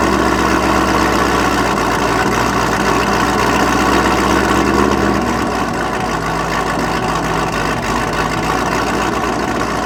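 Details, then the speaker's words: 2017 Chevrolet Camaro SS 1LE, manual, LT engine converted to stock LT4 supercharger with cam (low vacuum): loud, choppy V8 idle with lumpy pulse about four times a second, sagging midway; owner says blower surge and idle set too low, to be fixed by tuning. "so this car sounds like it has blower surge one the idle's too low but that's okay"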